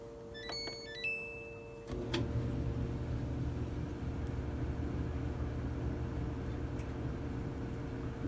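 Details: Samsung DV45H6300EW/A3 dryer, 5 years old, after replacing the motor assembly (burnt motor switch) and seized idler pulley that caused 4-second run-and-stop cycles: steady drum rumble, even motor hum, no cutting out; normal running.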